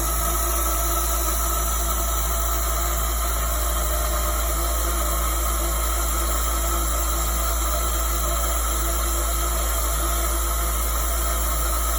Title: PROVerXL 4030 spindle making noise